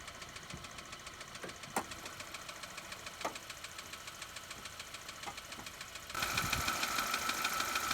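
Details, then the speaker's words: Petrol engine at idle with a fast, even tapping, located with a mechanic's stethoscope and its extension. The source is suspected to be the water pump bearings, alternator bearings, or valves/lifters; unconfirmed. "And you can hear the tapping coming right around in this area in here, which could be a few things. It could be the bearings on the water pump making that noise. It could be the bearings on the alternator, or it could be your valves and lifters could be also tapping as well."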